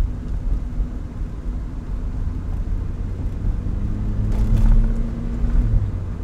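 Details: Low idle rumble that swells and sags unevenly around four seconds in; rough, unstable idle that has improved but still acts up at times; owner suspects a vacuum leak, not confirmed.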